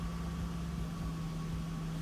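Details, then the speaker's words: 2001 Acura TL after an idle air control valve fix (code P0505): steady, smooth idle with an even hum and a constant faint whine, no dips or hunting; rpm back to normal, no misfire. "man perfect so there it is that was a simple solution simple fix for this 2001 Acura TL"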